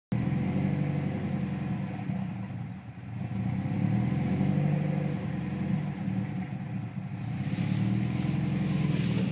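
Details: Subaru STI rough idle: revs rise and sag unevenly every few seconds, bouncing 500–1500 RPM, narrowing to 650–850 RPM with the MAF sensor unplugged; cause not yet found.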